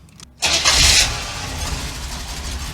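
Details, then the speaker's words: Cheap air-bagged Chevy van on its first drive, transmission fluid topped up: it cranks briefly, catches with a quick rev flare, then settles into a steady, even idle. Normal running. "runs pretty good though"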